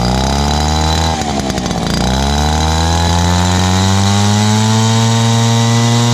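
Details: Dad's old backpack blower, about 39.7 cc two-stroke, choke only and no primer, first start of 2019. A loud, high drone sags briefly after starting, then settles into a smooth, even run. Loud but runs really good.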